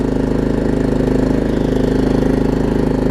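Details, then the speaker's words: Troy-Bilt Pony riding mower, Briggs engine, after fixing a loose starter solenoid connection and fitting a good battery: even, steady single-cylinder putter at constant speed with no hunting or surging; normal idle. "And it doesn't really surge either. Those Briggs intakes are known for surging."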